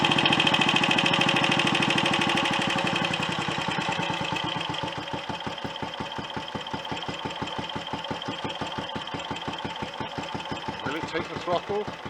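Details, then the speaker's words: Royal Enfield Olympic 250 unit single, restarted with tickover set higher: beat starts quick, then takes ages to wind down over about ten seconds, thumps spacing out until it stalls; cause not confirmed. "I'll start it up again the engine and take an age two down steady speed and then it'll stop"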